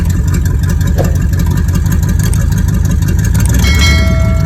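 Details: 1986 Cutlass V8 with a rebuilt Rochester Quadrajet 4-barrel, cold: deep steady idle held slightly high on choke, firing evenly with no stumbles or misses; carburetor metering cleanly, choke working.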